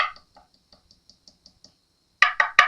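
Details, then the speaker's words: 1980s Fernandez Les Paul fretboard, tapping inlays: light dull taps then firm solid knocks with no hollow ring, sounding like the surrounding wood; well-bonded, solid inlay. "And at the end of the day, what we were after was when we tap on that inlay, we want it to sound like the wood, right?"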